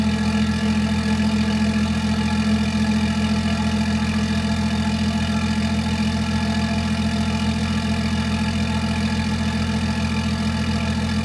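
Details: BMW X5, downpiped and believed tuned: cold start idle, steady deep even drone from the freer exhaust, no knocks or misses; healthy.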